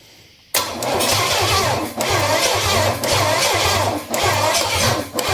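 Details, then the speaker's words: Engine with a Quadrajet carburetor dumping too much fuel and a hot battery cable: the starter cranks steadily with a lopsided, uneven chug and no catch. Cranks but won't start. "something ain't sounding quite right let that starter to cool off for a minute anyway it ought to it ought to take off"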